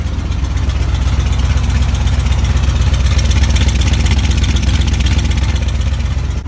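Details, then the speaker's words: Big Bob truck after replacing the old muffler with a newly welded temporary exhaust: deep, even, steady exhaust rumble with smooth firing pulses and no rasp or rattle, much better than before; normal exhaust note. "Bob sounds good I'm real happy with"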